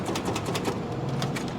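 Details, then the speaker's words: Salvage vehicle at an auction yard, reading about 216 on the dash: fast, even clicking, about six or seven a second, with no cranking. A locked motor or bad starter was suspected; the cables weren't hot, pointing to the solenoid or switch. "Yeah, that sounds like a locked up motor or a bad starter."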